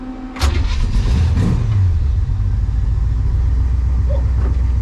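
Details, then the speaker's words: Hot rod after a drive, checking a ticking noise first suspected as a header/exhaust gasket leak: fires and settles into a steady deep idle with no ticking; the exhaust/muffler was the issue; normal start and idle. "But we'll see if you guys can hear it or not, or if it's been self-fixed. Oh wow, yeah, that was the issue, was the was the exhaust."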